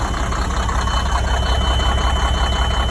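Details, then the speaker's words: Sterling semi truck with Cummins diesel, sitting eight years, starting after a loose inline fuse and a cable end were fixed; deep even idle about 160 knocks a minute, no misses or surging, normal healthy idle. "There we go. He's running."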